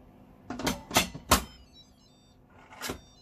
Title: Why does my pressure cooker sound like this?